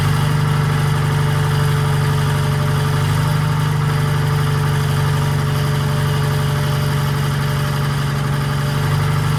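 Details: 1940s Allis Chalmers HD5/D5 crawler, 2-stroke Detroit 271 diesel, first startup after years retired: steady even low rumble, firm regular beat, no knocks or misses; healthy idle, smoky exhaust owner suspects from a problem injector.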